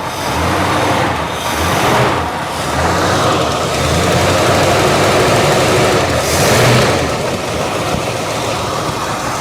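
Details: 1973 Dodge camper special V8, revived after sitting 25 years, idling just after startup: steady, even, quiet idle with no knock or miss, building oil pressure, no longer missing; healthy running.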